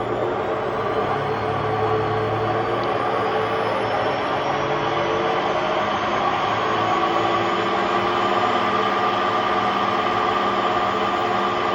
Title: Hotpoint Aquarius WMA50 washing machine || Bad bearings!